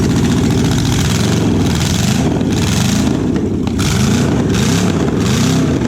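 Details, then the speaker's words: Junkyard Oldsmobile 350 V8, sat for years, bought for a '69 Cutlass, first run on an engine stand without water: a loud, lumpy idle with firing pulses dropping out. Misfire at idle; owner thinks longer running would clear it. "yeah I mean it's kind of missing at an idol but I think you know if we had it all hooked up to water and we could just let it sit and run I'll bet it's gone"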